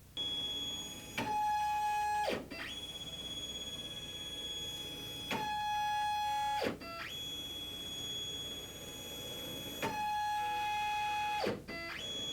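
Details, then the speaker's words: Stepcraft 2 840 desktop CNC, NEMA 17 steppers, first-time setup, binding on the Y and X axes: steady high whine drops in pitch and stutters roughly every four seconds. Axis binding; fix is alignment by loosening the front and back plate screws. "If you're setting your machine up for the very first time, you may experience some binding issues, which sound like"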